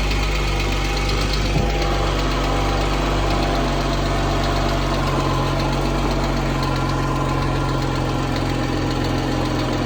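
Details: 2014 Jeep Wrangler 3.6 Pentastar V6 idling with a light, fairly regular tick about four times a second over the hum; owner unsure whether it is rocker arm or valve tick.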